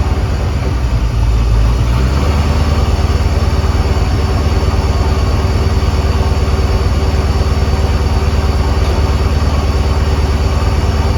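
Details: 2001 Mustang Bullitt with Tork Tech supercharger after replacing idler pulleys (old grooved pulley suspected of belt slip): deep even idle with steady low beat about three per second, no squeal or chirp; runs clean.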